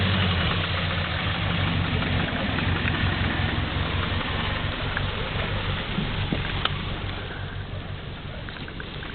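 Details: Subaru GL turbo petrol engine driving in mud, idling and pulling slowly with loud sharp metallic rod knock through a low rumble; motor on its way out but still running.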